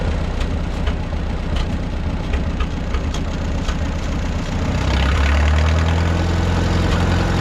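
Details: 1951 Farmall M four-cylinder tractor (coolant found in oil pan), Autolite 316 plugs fitted, run about 20 minutes toward operating temperature: slightly lumpy idle with an occasional skipped firing; intermittent misfire persists, cause not found.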